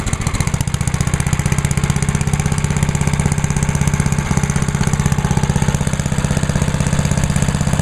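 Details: Idle of a small single-cylinder 1998 MTD chipper/shredder started on choke at half throttle, oil checked, running TruFuel with the fuel valve left on; steady, even low thumping with no misses, knocks or hunting. Healthy.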